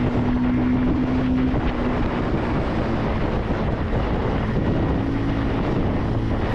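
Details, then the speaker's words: 2026 Bajaj Pulsar 150 twin-disc variant accelerating in third and fourth gear through the mid-range: a steady, deep single-cylinder drone with a clear engine tone under heavy wind rush, answering throttle openings; a normal, healthy exhaust note under acceleration. "మంచి top speed కొట్టాలన్న feeling కలిగించే విధంగా ఆ exhaust note అయితే ఉంటుంది. మనం థ్రోట్లు open చేసినప్పుడల్లా దాని response exhaust సౌండ్లో వినిపిస్తూనే ఉంటుంది మనకి. చాలా మంచి ఎగ్జాస్ట్ నోట్ అనమాట."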